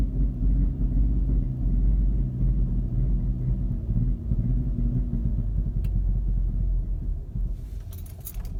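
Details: Mk6 GTI idling rough after a hot restart (driven to operating temperature, then off about 15–20 minutes): a low, lumpy idle that wavers and sags instead of holding steady, and it stalls at times. This happens randomly and the cause has not been pinned down.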